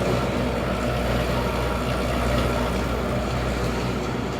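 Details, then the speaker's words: Rebuilt Ideal indent cylinder separator (grain/seed cleaner) with new bearings, roller chain, sprockets and idler wheels, test run about 3 hours; steady even drone, low rumble, soft churning, no knocks or squeals; motor in great shape, runs cool and quiet. "motor's in great shape on this unit. We've test ran this unit for about 3 hours. Runs nice and cool, nice and quiet."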